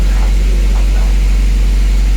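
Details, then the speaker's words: Honda Civic with H22 and newly fitted Accord Type R LSD gearbox, Exedy clutch, lightened flywheel, first start at idle: low rumble with rough uneven churning from gearbox; possibly oil not yet distributed or LSD, unconfirmed. "Oh yeah. Horrible noises, isn't it? That isn't particularly nice."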